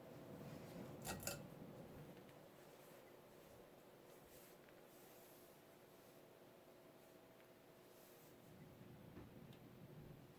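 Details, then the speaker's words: 1984 FASCO Charleston 2nd-generation 38-inch ceiling fan, model 438, with FASCO stack motor: a quiet, even hum on medium speed with no rubbing, ticking or rattle; runs smoothly, with slight wobble after balancing. "it's a pretty good air mover as well of course it has a fasco stack motor in it"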